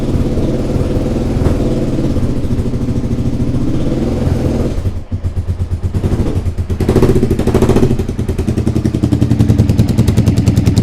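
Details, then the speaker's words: Motorcycle (SV) idling after restoration work, now starting at a quarter turn, with a sharp puffing tick on each firing pulse; exhaust leak at the top header gaskets, which still need changing. "the top there I'm going to have to change the gaskets I have I have always for a leak at the top there"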